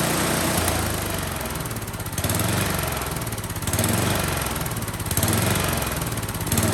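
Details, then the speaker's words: Husqvarna 10530 SBE snow thrower after about four years sitting, freshly fuelled: small engine runs but swells and sags about every second and a half; rough running after storage, owner plans Seafoam to clean the fuel system. "You know what? It sounds like it runs well enough for me."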